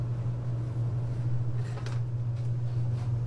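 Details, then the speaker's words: RedStone 1500 W electric heater after repair of continuous beeping and faulty control panel (blamed on interfering springs): remote works, even low steady fan hum with no beeps or clicks; heater running normally. "we can turn it off turn it on everything is working fine so i'm going to go ahead and let this run for a little bit and see if it starts beeping at us it shouldn't"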